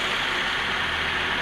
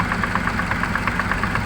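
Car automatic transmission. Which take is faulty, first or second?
second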